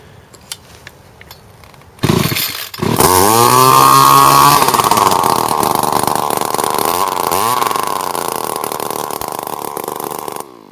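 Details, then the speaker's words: John Deere S1400 two-stroke weed eater that bogged on throttle, run with the plugged muffler removed: starts after two seconds and revs freely to a loud, raspy, steady scream without bogging, confirming the plugged muffler as the cause. "See, now if we start it up now, it's gonna be real loud, but I guarantee you that it'll rev and it'll work like it"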